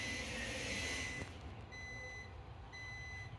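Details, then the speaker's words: Power inverter on a dying truck gives a high steady beep, about half a second on and half off, over a low hum as truck voltage sags; inverter warning beeps. "You get to hear the truck beeping in the background. The truck is dying. The power inverter is very unhappy."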